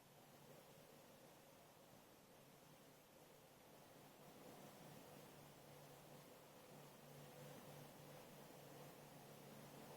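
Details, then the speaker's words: Ozzirt-style waste oil heater burning waste oil after a cold start lit with kerosene and no wick, warming up: a steady soft roar with faint hum and fine crackle from slight moisture in the oil; normal operation. "you can hear it crackling now that's what you want to hear that's usually tiny tiny bit of water or moisture in your waste vegg oil"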